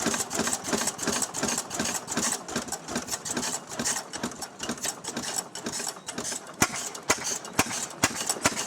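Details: Restored 6 hp Fairbanks Morse Model Z single-cylinder engine, hand-cranked, running on kerosene for a buzzsaw: slow evenly spaced sharp clacks, about one to two a second, from the spring-loaded intake flapper; running steadily and normally.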